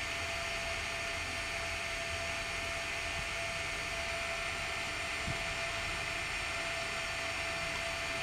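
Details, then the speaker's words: Sharp PC-4500 hard drive spinning up with a steady thin whine over a soft hiss. Later the heads lock and the arm stays stuck, pointing to a fault in the arm-release mechanism. "problem is the heads seem to lock and won't unlock which is a bit of a problem then when you turn it on the arm's stuck"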